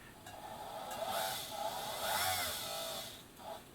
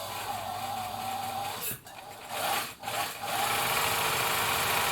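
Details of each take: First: 1965 Bernina Record 730 sewing machine, foot pedal pressed: motor whirrs up and down showing power is delivered, but the hand wheel does not turn and there is no needle clatter; slipping motor drive belt. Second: 1965 Bernina Record 730 sewing machine after drive belt tension adjustment: short bursts of steady, even whirring that start and stop with the foot pedal, with no slipping or straining: normal running.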